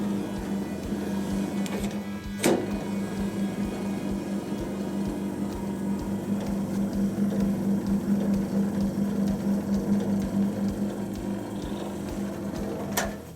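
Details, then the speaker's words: Drain pump of a vintage Hotpoint Countess single-tub washer with wringer. A steady, even motor hum holds one pitch with no load change; the pump runs but does not pump out, and the owner suspects scale. "I think the pump doesn't work, sort of. You can hear it, but I'm wondering whether it's a bit like, I don't know, scale or something."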